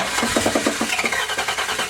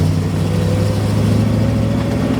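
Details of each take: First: 1979 Chevy Camaro Z-28 with a swapped-in 305 small-block V8, first start after the swap: a rough start with heavy, uneven metallic clunks. Worn rings or piston slap were suspected; finding: the crankshaft is striking a dented oil pan. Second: 1979 Chevy Camaro Z28 with a temporary 305 small-block V8, first drive after the oil pan was reshaped: smooth, deep rumble rising as it pulls away, no knock or tapping. Temperature about 200, oil pressure about 26; less kick than the 400.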